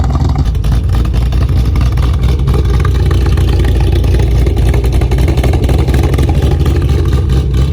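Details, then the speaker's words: Car just flashed with a ghost cam tune, idles normally at first then starts chopping: very loud, deep exhaust with uneven choppy lope mimicking an aggressive cam; ghost cam tune lopey idle. "once you first start it up it's gonna idle normally and then it will start chopping all right guys so the car is now chopping"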